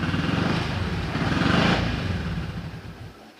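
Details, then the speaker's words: Yamaha XMAX 300 scooter, hard starting and unable to hold idle, before repair: engine stumbles unevenly at low revs, then fades and stalls within seconds. "วันนี้เรามาทำxMaxนะครับอาการดูสตาร์ทยากเดินเบาไม่ได้แล้วสตาร์ทด่วนๆด่วนๆ[เพลง]ก็ต้องสะดุดด้วยนะครับ"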